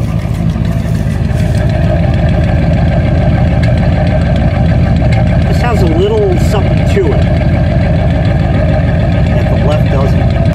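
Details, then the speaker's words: Old V8 car fully warmed up after a drive: uneven, lumpy low rumble with irregular pulses instead of a smooth beat, door visibly shaking; rough idle that clearly indicates something isn't right. "it otherwise runs and you know gets around maybe you could see the door shake I don't expect this thing to be able to like you know balance a coin on the engine kind of thing but this is clearly an indication something just isn't right"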